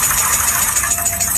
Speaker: I will teach you how to judge engine failure by abnormal noise abnormal belt noise abnormal engine knocking